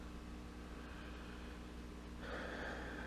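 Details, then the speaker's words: Inexpensive stereo amplifier kit plugged into a regular outlet, no music playing: a low, steady 60 Hz hum in both speakers that changes when the filter caps are touched. Suspected ground loop. "there's a little 60 cycle hum and the speaker in both speakers I'm assuming that's a ground ing issue or ground Loop or something"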